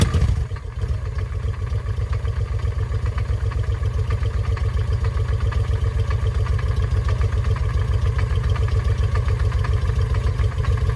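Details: 2007 Honda Shadow after new clutch and oil drain; knocked before and seized while running during oil check: loud uneven clatter at idle, about four knocks a second over low beat; still bad, cause unknown.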